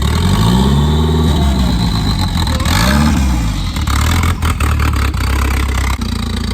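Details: Nissan "Bluebird" fitted with a budget turbo kit on an SR20DET manifold; the throttle linkage nub had come off. The engine idles, then revs cleanly up and back down twice without hesitation, settling to a steady idle: normal throttle response.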